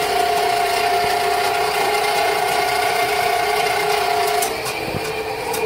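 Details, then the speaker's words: Rental drain snake clearing a sewer line: steady mid-pitched motor whine with faint uneven chatter as the cable works under load, digging through something, probably tree roots. "yeah it's digging through something out there right now so it's probably just tree roots"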